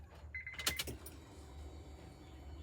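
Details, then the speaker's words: JDM Honda CR-V that sat unused for a year: a short high buzz of about half a second, then clicks and quiet. The fuel pump is priming with the ignition on before cranking, and the engine then starts. "yeah we're building pressure start it come on again again"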